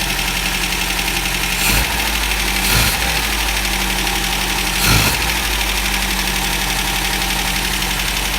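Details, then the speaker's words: 1974 MGB GT, first run in over 17 years after carburetor rebuild, ignition and distributor work; no cooling system connected. Uneven, lumpy idle with louder stumbles every second or two. Rough running, cause not clear. "She's not running right, but she's running. How amazing is that?"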